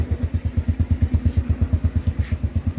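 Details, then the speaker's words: Motorcycle idling after tensioning the worn, stretched timing chain and resetting valves; steady even exhaust thumps about seven a second, no ticking or rattle, quiet like new — normal idle. "เสียงเหมือนรถใหม่เลยครับเงียบกริบดังเฉพาะท่อไอเสียเท่านั้น"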